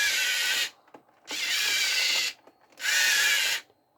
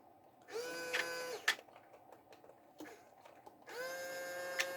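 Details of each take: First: Three short bursts of high-pitched motor whir at steady speed from an RC vehicle's motors powered by a 5V 2A mini boost module fed from a 1S LiPo (3.6–4.2 V), no stalling or sputter; motors run fine. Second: Motor on a 1:28 scale RC excavator (QY2301) powered from a 1S LiPo through a 5V 2A mini DC-DC boost module; motor whine comes in bursts that stop and restart as the supply sags under load, drawing about 400 mA, so the motor keeps cutting out.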